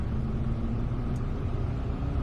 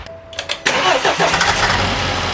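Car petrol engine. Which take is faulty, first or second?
second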